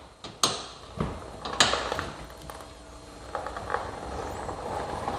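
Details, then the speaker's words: Big Bear quad rolled slowly back and forth by hand: irregular sharp snaps and crackles with no steady rhythm; drivetrain crunching, source unknown, parts later needed were a wheel bearing kit and U-joint kit. "you guys hear that snap crackle and pop it's almost like we got some rice krispies stuck in here somewhere"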